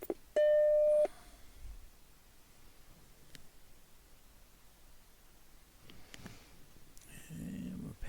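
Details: Black Macintosh after cleaning RAM contacts and SIMM slots to fix checkerboard screen: single clean half-second startup chime, then quiet drive and fan noise; powers up and boots from original floppy. Normal.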